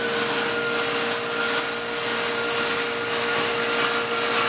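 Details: Pursanova turnkey industrial RO system, pump restarting after a safety shutdown (tank dry or well pump stopped): even high-pitched motor hum, steady tone, no surging or cavitation rattle; pump running normally.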